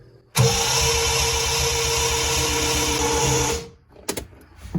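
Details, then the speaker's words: 1975 Triumph TR6: starter spins fast and light for three seconds, an even quick churn with no compression beats, because the cam timing was set wrong; the camshaft was later degreed and retimed. "Why is it cranking as if there's no compression?"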